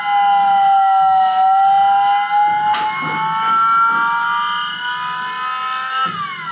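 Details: Car with a Volvo engine swap, fitted with an eBay electric-driven hydraulic power steering pump replacing the original mechanical pump: loud steady whine near 800 Hz, creeping up then dipping and recovering; battery too weak to run it, owner hopes a bigger battery fixes it rather than the pump.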